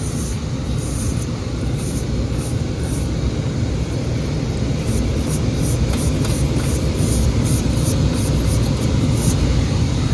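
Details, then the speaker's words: Carrier commercial rooftop unit, now heating after the belt and pulley were realigned. The running fan gives a loud, steady, gravelly rumble like a passing train. Bad fan bearing, to be replaced. "looks like a bearing's bad in there so we're gonna write up for the bearing to be replaced but at least it's heating now yeah that's got to be replaced that sounds terrible"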